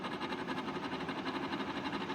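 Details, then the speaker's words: Brand-new Nedis DEHU20WTW WiFi dehumidifier with the compressor not yet running: rough, throbbing drone pulsing several times a second, loud fan noise. "it makes all these noise just from the fan and it's uh compressor is not even running yet"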